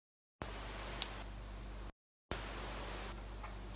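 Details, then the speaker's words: YUANJING TPA3116 4.1 Bluetooth amplifier board on a supply of about 20 V. Quiet speaker hiss with a few sharp isolated clicks as Bluetooth connects. These are the board's programmable connect/disconnect sounds, not a fault. "So you have these clicks when the Bluetooth connects, and that also isn't too good."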